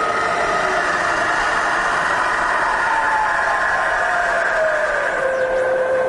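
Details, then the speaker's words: Bridgeport milling machine Vari-speed head switched to low range, 450 RPM in low (about 50 RPM as it's low range): steady smooth mechanical hum with a gentle whine drifting slightly lower, no knocks or grinding; spindle running normally. "that's 450 RPM in low, about 50 RPM as it's low range."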